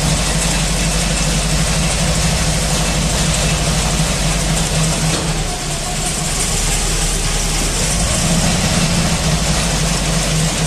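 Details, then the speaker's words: Meteor Interceptor V12 idling at first complete drivetrain test, heard outside the car: deep steady rumble with light, even valvetrain chatter that got quieter as it ran; normal idle. "If you're outside the car at idle, you can hear the valve train mechanism a bit, but we're not too worried. It got quieter as it went."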